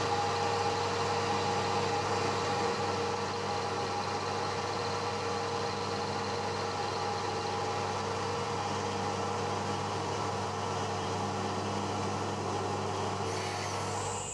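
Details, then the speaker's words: One-inch slot drill in cast iron, slowed from about 500 to 200 RPM: steady, low machine hum with a faint, even tone and no chatter or squeal. Smooth milling cut. "that turned out better than I thought I'm running that now at 200 RPM seems to be happy with that"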